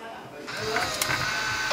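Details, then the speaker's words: Fujifilm Instax Wide 300 after repair, error and flashing light gone; sharp shutter click then smooth rising motor whir about a second ending cleanly: normal shutter and film ejection. "turn it on whoa no more error no more flashing now will it work yes it does"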